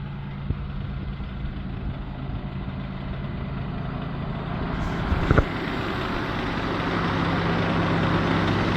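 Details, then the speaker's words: LN3 3800 V6 (1988–91) on ramps at idle; a noise appeared overnight, only at idle with AC on. When the AC switches on, a light irregular clacking, seemingly from a pulley, starts. Worn harmonic balancer; the noise was worse the previous night. "And now I hear something. You know, this sounded a lot worse last night. But can you hear the clacking? It sounds like it's coming from one of our pulleys here, and with the AC there's extra vibration and whatnot."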